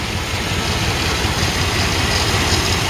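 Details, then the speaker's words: Chevrolet Silverado K1500 farm truck, about 242,000 miles, idling after coolant change and Bars Stop Leak: steady low V8 burble, even pulses, no knock, tick or miss, no smoke; normal idle, "runs like a champ." "that many miles 240 000 miles and this thing runs like a champ doesn't smoke that sounds like a dream"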